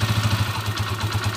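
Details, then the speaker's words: 20-year-old TMX155 motorcycle, first start after engine work for a noise that persisted after a timing gear change: single-cylinder idle with an even, steady thump of about thirteen pulses a second, sounding healthy. "Tapos na po itong motor niya 20 years old 20 years old paandarin na natin yun oh"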